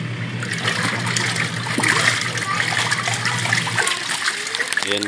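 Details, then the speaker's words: Washing machine that was very noisy and barely spinning, after gearcase pulley repair, tested with water: steady low motor hum with water sloshing, no knocking or grinding, then winds down; spin now healthy and even. "okay na yung ating washing machine maganda na ulit um ikot"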